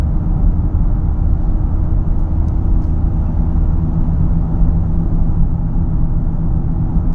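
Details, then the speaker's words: 2012 Ford Fusion SEL in the cabin at about 60 mph: a deep, constant drone over the road rumble, more pronounced than at lower speed; new balanced tires, alignment good, can't tell front or back; speed-dependent humming noise. "So there you go. You can hear more at 60, more pronounced, the humming, but it's there."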